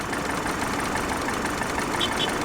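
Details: Repossessed Infiniti QX56 from Copart, service engine soon light on; uneven, slightly lumpy idle beat under a steady hum; rough idle, cause not yet known.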